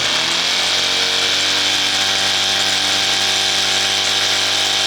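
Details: Competition single-acting twin-cylinder steam engine (4.9 cc, 14 mm bore x 16 mm stroke, full bearings) on Scott double-flow boiler, bench test with propeller, about 3 bar: thin, high steady buzz, no knocks; spinning fast and freely.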